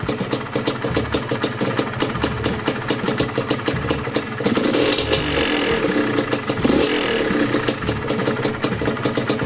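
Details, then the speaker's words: Yamaha DT125 two-stroke, warm idle after a top-end rebuild with the piston slap gone: a light metallic rattle rides over a steady firing beat. The rattle is the monoshock spring, not the engine. "Nagra-rattle, spring yan ng monoshock."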